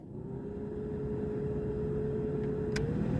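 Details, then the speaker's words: 2002 VAZ 2112 cabin heater blower after replacement with a new Luzar fan, settings one to two: smooth, steady mid-pitched whir rising slightly with fan speed; healthy. "Надеюсь, вам слышно, как работает электровентилятор. Второе положение."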